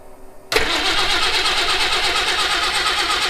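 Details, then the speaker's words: Citroen HY van no-start: starter cranks steadily at an even rhythm but the engine never catches; spark tester confirms spark, so it lacks fuel; it starts on starting fluid and may be out of fuel. "it's definitely lighting so we're definitely getting spark just no fuel"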